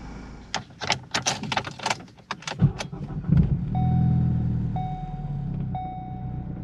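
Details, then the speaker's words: 2014 Ford Focus, 141,000 miles, after fixing low fuel pressure and clearing P0087: starter catches almost instantly under chime beeps, settling into a smooth steady idle; starts right up. "Starts right up. Let's take it for a spin."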